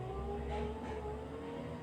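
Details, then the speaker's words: 2004 Kia Picanto with engine still cold: steady, even power-window motor whir with a slight pitch drop as the glass travels; the windows run smoothly without strain or grinding. "lalu kita cek juga dia power windownya nyala nggak semuanya seperti ini lancar ya"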